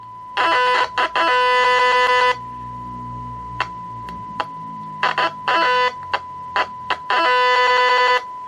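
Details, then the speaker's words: 1982 TRC-1004 rescue radio, known-good unit probed at pin nine, the MC3357 output: a clean steady tone with sharp on-off bursts over a quiet background, showing normal audio output, unlike the faulty set with nothing on pin nine. "you can hear that on the good one the signal coming through and there it is on the pin nine"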